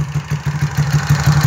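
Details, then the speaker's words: Single-cylinder motorcycle with performance camshaft, fuel injection not original, valves left unadjusted at the owner's request: an even idle with a light, regular tapping, which is normal for the cam. "mas só que o comando 03 do cloud que ela está ela faz um barulhinho ele faz um barulhinho sim ele bate um pouco de vôo"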